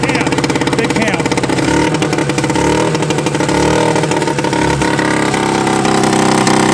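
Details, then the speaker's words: Old Yamaha snowmobile revived after sitting in woods, running after a gallon of gas added: crisp two-stroke rasp revving strongly and dropping back cleanly, no misfire; runs better than the Arctic Cats, healthy engine. "That damn thing runs better than either of the articats. You can't kill a Yamaha. You can only slow him down for a little bit."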